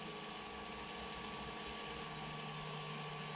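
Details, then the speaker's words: Inkjet printer commissioning, jet running with phasing, errors and high-voltage deflection enabled: quiet steady hum, fixed high whistle and soft pump buzz, no surging; looks and sounds good before ready status. "looks and sounds good so once we've started up this will come up and it will come up with a ready status"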